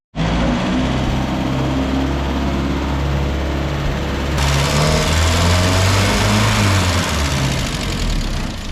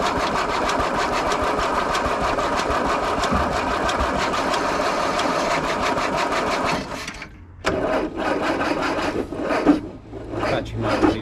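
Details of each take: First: Land Rover, back running after a new starter motor and cleaned earthing points: engine catches at once and settles into a steady, even idle with no misses, knocks or odd noises. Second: Land Rover revival, weak battery: starter turns engine over steadily about seven seconds with no catch, then retries; cranks but won't start. Later fixed with new starter motor and cleaned earthing points.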